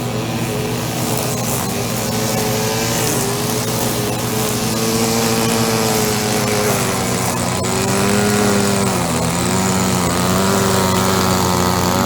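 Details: Echo SRM-2400 string trimmer, believed mid-1990s, slightly bigger engine than the SRM-230, just started after priming and choke. Steady, even two-stroke buzz with only slight speed drift and no stumbling; running properly, though it vibrates a lot.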